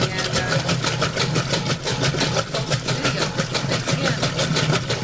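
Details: Roper washer in agitate cycle: steady rhythmic thumps, about one and a half per second, in time with each agitator stroke; clunk in the agitator drive, cause unknown.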